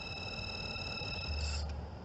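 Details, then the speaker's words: Mercedes cabin blower fan after PTFE spray was applied to its squealing bearing: the motor now spins smoothly with a low hum and faint steady high tones and no squeal, confirming the bearing; the fix may last only weeks. "silence so it's most definitely the bearing um i think adding a little bit of this spray will probably keep it away for a few weeks but yeah ptfe seems to have done the trick"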